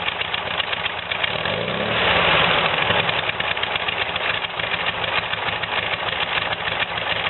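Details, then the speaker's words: VW air-cooled "new" replacement engine after carb cleaning and jet replacement, on break-in oil, with a quieter exhaust. It putters evenly at idle, and a quick clean rev drops straight back without stumbling. It starts easily and runs smoother than the old engine. Normal idle. "Maybe wishful thinking there, but it's running good now. It starts easily and has more power and is smoother than the engine we took out."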